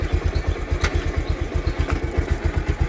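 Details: Bajaj Pulsar motorcycle at 68,651 km, idling in gear: steady thudding beat with faint irregular metallic ticks on top; drive chain noise suspected, not confirmed.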